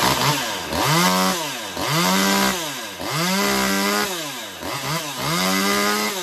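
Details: Stihl MS192T chainsaw, first run after refitting the forgotten impulse hose and retuning the carb (high screw, idle raised): clean rev-ups and drops about every second, returning to idle without stumbling; healthy saw.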